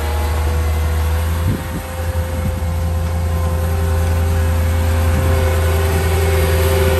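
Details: Mercedes M113 V8, almost 21 years old, at test start after replacing badly cracked spark plug wires: deep even hum holds steady speed with one brief dip and no misfire stumble; runs smoothly.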